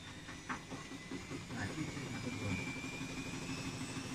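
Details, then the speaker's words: Thirteen-year-old Siemens front-loader washing machine spinning with 6-7 garments: fast, even drum whirring with faint scattered ticks; judged normal ageing noise, not a shock absorber fault. "这个是正常的声音啊。就这个呀，这也正常啊。这个是正常声音啊。"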